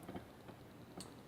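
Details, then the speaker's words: Chain hoist brake that had been frozen and would not lower, freed up: a few crisp, light pawl clicks about half a second apart as it ratchets freely. Normal brake pawl clicking. "and you can hear it is clicking and releasing a net direction so now we freed this up"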